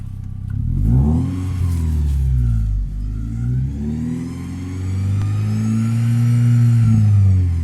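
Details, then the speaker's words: Toyota Celica 3S-FE after cylinder head and water pump work, with new oil, belts checked and thermoswitch replaced, warm and overheating after a trip: a high squeal rises and falls with revs. Temperature drops when revving; cause unresolved. "Fuerte también el chillido. Tengo que acelerar así un rato."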